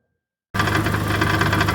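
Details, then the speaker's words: 2011 Chevy Aveo idling on all four cylinders after a failed 3.5-year-old ignition coil was replaced; a fast loose metallic rattle comes from broken substrate in the exhaust-manifold catalytic converter, damaged by the long misfire; exhaust leak also present. "that rattling is the substrain inside the catalytic inverter on the exhaust manold it's obviously been compromised because of the the long exposure the M fire"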